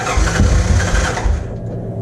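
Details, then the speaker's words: 1986 Honda TRX 200SX ATV after carburetor cleaning and reassembly, choke on, electric start: quick cranking catches straight away and settles into a steady low single-cylinder idle; starts clean and runs fine. "when we hit the starter button here so I need to get anything there really the choke up all right well that sounded good"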